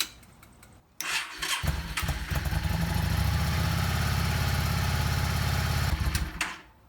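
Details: Yamaha Star 650 twin, tank off, started with choke on to rule out ignition and electrical faults: short crank, catches quickly and settles into a steady, even choke idle before shutdown; starts and runs normally.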